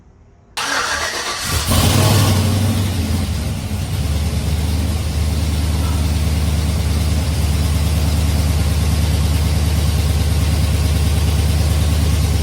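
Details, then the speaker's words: Chevy Tahoe V8 after a stock rebuild with a BTR V2 stage 2 cam, LS7 lifters and long tube headers, running a Michigan Motorsports base tune: it cranks briefly, catches at once and settles into a deep, slightly lumpy cam idle; healthy. "It's running on that cam. All right, so we got the base tune from Michigan Motorsports loaded up in, and it's pretty dang good."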